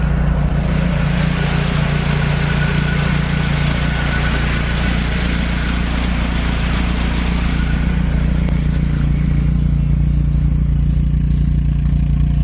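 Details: Nissan 240SX (S13) drift car, first run after the engine install, replacing the KA24DE: loud, steady low rumble at idle with cooling fans whirring; idles smoothly, nothing knocking, oil pressure up. Gauge issue unresolved, possibly a bad sensor.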